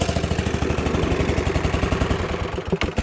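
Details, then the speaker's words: Dixon ZTR Kodiak SE mower on first start after charging, choke on, half throttle, suspected exhaust leak: engine idles fast then stumbles and shuts off when the seat is occupied, and then won't restart; cause unclear. "Why is everything shutting it off? Let's shut it off. No starting. No, this thing is all sorts of messed up."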